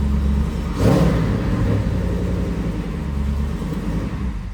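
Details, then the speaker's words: Jeep Wrangler after replacing the starter that had been grinding on startup: the engine catches quickly and settles into a steady low rumble with no grinding. Clean, healthy start. "Please start cleanly. Oh, that's definitely better."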